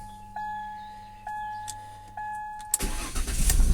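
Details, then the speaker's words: 2000 Ford Cougar 2.5 V6 170 hp: a few dash chimes, then the engine catches at once and runs up strong with no long cranking; a clean, healthy start. "vois qu'elle démarre super bien"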